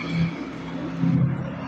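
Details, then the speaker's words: Forsa car with a rough noise at high speed: a deep rumble that swells and fades from the right rear wheel, traced to a worn rear wheel bearing before it is replaced. "tepatnya suara kasar atau suara gemeruh di bagian roda. Dan sudah dipastikan apabila ada indikasi atau keluhan seperti ini untuk yang berpenyakit atau yang bermasalah adalah di bagian bearing roda belakang tepatnya seperti ini ya."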